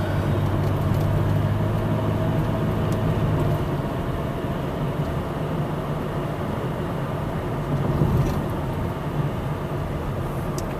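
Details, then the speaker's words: 2007 Toyota Sienna minivan on a test drive after refilling very low coolant with 2 gallons of water; gauge had pegged on H and AC failed: low, smooth engine drone under road noise, no knocks; temperature holds normal, no leaks found. "I mean, the engine sounds good. Yes, this may just have been a safety feature with the low coolant level."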